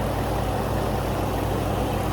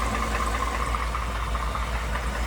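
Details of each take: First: 2019 Ford F-150 5.0 V8 after replacing bad VVT/VCT solenoids that caused stalling at idle: low, even idle with steady throb and no stumbling or dying after long idling and a 3-mile drive; stall fixed. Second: 2019 Ford F150 5.0 V8 at idle, previously repaired for stalling caused by bad VVT solenoids: a dull, diesel-type knock or clatter at idle, matching a TSB for 2018-2020 F150 and Mustang; cause not confirmed.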